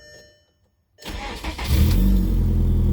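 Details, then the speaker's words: 2003 VW Jetta 1.8T after crankshaft sensor replacement (it had stopped starting, no spark): short crank, catches within a second and settles into a steady, even idle; starts fine. "Ahora aquí está prendiendo ya el carrito."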